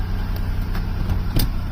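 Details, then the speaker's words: 2008 Buick Lucerne CXL 3.8L FWD after replacing a shorted ignition control module that caused P0300 misfires: steady low idle with an even rumble, no stumbles or shaking; running smooth. "No more shaking, running smooth."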